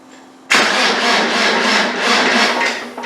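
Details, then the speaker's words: Land Rover 300Tdi diesel, cranking: steady rhythmic churn, never fires; injection pump fuel solenoid wired to the wrong wire so power cut during cranking, no fuel delivered; wiring then modified. "No, it isn't. It's not working. So I've put the wire on the wrong wire of here. Now we'll have to do some modifications, because when you turn the key to start, it's cutting off the power."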